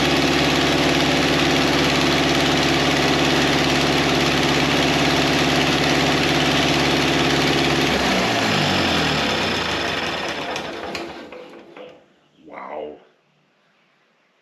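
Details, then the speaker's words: 1953 Ferguson TO20 antique tractor, first run after Marvel Schebler carburetor rebuild, throttle at about a quarter: smooth, even, slightly fast idle until shutdown, then winds down cleanly; carburetor drain plug started gushing fuel a minute or two after shutoff. "it ran really nice probably idling a bit too fast but i can work on that"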